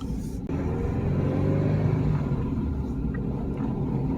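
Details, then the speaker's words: Manual-transmission Subaru on a test drive after engine repairs and reinstallation, running on 2-3 year old gas: a strong, steady low roar under hard acceleration with no stumble, knock or rattle. Normal acceleration, like it was never hurt. "I was showing you that it has good acceleration. Oh, this thing is great. It's like it was never hurt."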